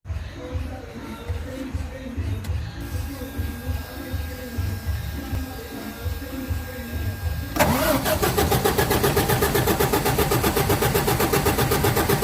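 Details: Cummins common-rail diesel: starter churns at a steady rhythm about four pulses a second but never catches; crank no start, a leaking injector suspected, not confirmed.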